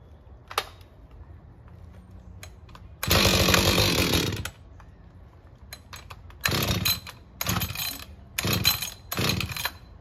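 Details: Husqvarna 562XP chainsaw fires in short loud bursts and dies instead of idling, hard to start; air leak found from a bent decompression valve stem, dirty fuel filter replaced, still acting up.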